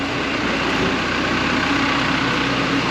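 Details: Jet engine number two ground run after repairs, including a new fuel valve, ahead of afterburner checks: loud steady roar with constant whine, no surging or popping; running normally.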